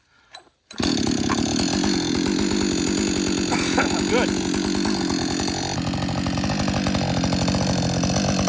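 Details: Husqvarna 562XP chainsaw back from the shop after a reflash, for dying and stumbling when hot and refusing to start. Hot start with no fast idle: it fires on the first pull and settles into a strong, even run without stumbling. Normal hot start and running.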